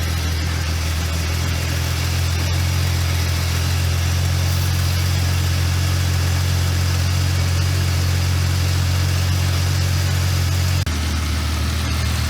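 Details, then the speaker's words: Jeep XJ Cherokee sitting over a decade, revived after cooling system work, running with water through radiator: steady, smooth, quiet idle with even low hum and no knocks or squeals. "This thing's running great. Quiet."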